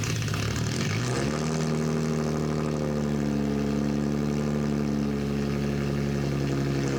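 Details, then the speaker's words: 2004 Infiniti G35 running with the muffler off, awaiting its rubber hangers: a deep droning exhaust drops from a rev to a loud, raspy, unmuffled idle. "I feel like it's not as annoying, but it's still loud."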